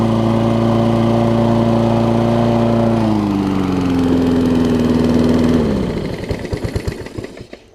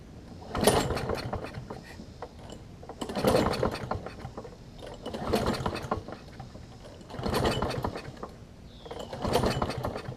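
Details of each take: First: Toro self-propelled mower with Kohler engine, after cleaning spark plug with carb cleaner restored spark: steady even single-cylinder hum holding speed, then revs sag and it winds down and stops cleanly; runs smooth. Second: Toro self-propelled push mower with Kohler engine, government-auction buy: five slow pull-start surges about two seconds apart, turns over but never catches; no spark, owner thinks old gas fouled the spark plug.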